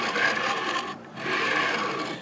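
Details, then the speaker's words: Anet/Creality-style 3D printer bed linear rail, very noisy: gritty raspy scraping with each carriage stroke and short gaps at reversals; the rail is pitted, possibly corrosion, and the bearing drops into the pits and grinds. "hey guys what's up so got some issues with my layer rails just super super noisy"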